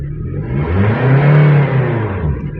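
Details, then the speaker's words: Power steering pump check with the engine revved once: engine rises smoothly and falls back, no whine or groan from the pump. Pump judged soft and good. "yes so the C pump is soft it's good"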